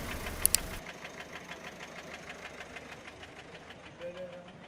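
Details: Peugeot 407 1.6 HDi 90 diesel at quiet idle, slight white smoke: sharp, fairly steady tick about three per second from the top end; mechanic suspects tappets, valve gear or a broken part; not confirmed.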